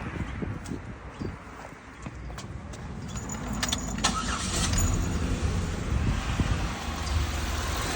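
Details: 2008 Buick Lucerne 3.8L V6 with flashing check engine light, cylinders 1 and 4 misfiring: keys rattle, then it cranks and idles unevenly and lumpily. A test spark plug shows no spark; plug ruled out, wire possible, failed ignition coil suspected.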